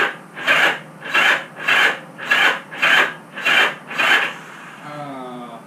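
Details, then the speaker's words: Motorcycle unrun for about 35 years, carb cleaner sprayed in carbs, throttle and choke jammed: starter drags through about seven slow laboured turns in four seconds then fades; battery jump box too weak. "My battery box is not doing us justice. Wah, wah. Alright, let me charge the battery box and we'll come back."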